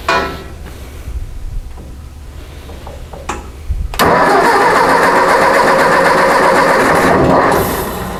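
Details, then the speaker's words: Ford 600 tractor that sat on a lot, after a catastrophic wiring failure: cranks a few seconds, catches and runs loud but uneven and unsettled; flashing seen, carburetor suspected to need adjustment, not confirmed. "uh we're definitely flashing over here okay carburetor needs some adjustments i mean i wouldn't doubt it"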